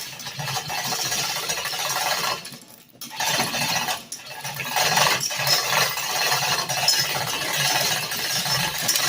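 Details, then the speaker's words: Chain hoist lifting the Robin 2PG engine out of an EZ-GO golf cart: uneven light metallic clicking through steady chain rattle as the locks (pawls) engage, now holding the chain after failing earlier; normal operation. "hear that clicking that's the locks engaging like no white wasn't engaging earlier see now the chain doesn't fall on it those locks are clicking as it goes up that's exactly what it's supposed to do"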